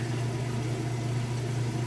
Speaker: It's draining, spinning, draining the water out right now. Hear it? Doing a really good job.